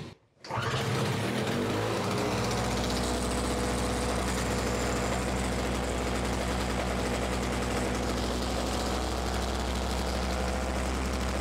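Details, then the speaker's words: Simplicity 520 single-stage snowblower (5 hp, 20 in), which burns oil, started on the recoil rope after the rope repair, key on and a little primer: catches and settles into a steady, even single-cylinder drone at constant speed; running normally. "so there we go she actually runs"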